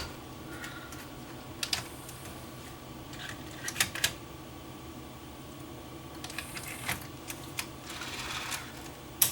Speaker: like it's loading properly